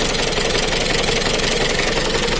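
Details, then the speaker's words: Mitsubishi Kuda diesel (4D56) idling with a harsh, clattery, limping beat. Owner complains of rough running, low power and slight overheating, with a heavy oil leak. Some valve clearances suspected too wide (50/60). "dan juga untuk suaranya itu ada kemrecek nya grabnya kayaknya ini setelan klep nya ada yang ukuran 50/60"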